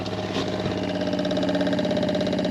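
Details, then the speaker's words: New Shurflo habitation water pump in a Benivan 120 campervan, replacing a frost-damaged one: even, rapid pulsing buzz, no rattle, building pressure and filling the hot water tank, cuts out once pressurized; normal pump operation. "a lot better than the old one. Okay, right. That was the pump operating, building up pressure and filling up the hot water tank."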